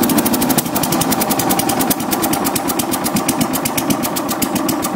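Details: Tecumseh-powered Craftsman 4-in-1 yard vac (model 247.770100), sat about two years, refueled: quick, even, fast popping from the single-cylinder engine with no misses; running clean.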